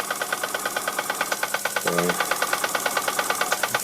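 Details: Bing toy steam engine of unknown model, previously a non-runner, test-run on air after the steam pipe was soldered back onto the oily boiler and the piston, cylinder and engine frame were repaired; crisp, even chuffing about three beats a second, running smoothly.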